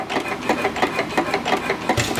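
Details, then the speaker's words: Small antique hit-and-miss engine run gently: slow rhythmic clatter of three to four sharp knocks a second; knock developed since purchase despite greasing, cause unknown. "she has a little bit of a knock it didn't do that when I first got it but it's developed it since I've had it"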